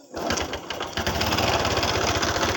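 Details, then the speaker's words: Honda Revo Absolute motorcycle rebuilt after oil starvation let piston hit and bend valves, replacement used parts fitted, just started, carburetor still being set; uneven lumpy idle with irregular ticking and popping; not yet stable idle. "belum bisa stabil karena belum devastated"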